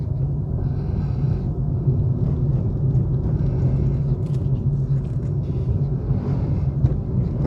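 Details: 2021 Suzuki Swift 1.2 GL Plus, 27,000 km, on a test drive, heard from inside the cabin: only a low, steady drone at cruise, very quiet, with no knocking or shudder; normal smooth running.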